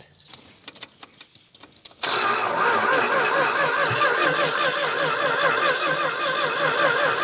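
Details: 1965 Dodge Dart 318 V8 four-speed that sat many years, low fuel, old battery: a few clicks then a long labouring, uneven crank that never catches; slow-cranking no-start, suspected weak battery or cable connection.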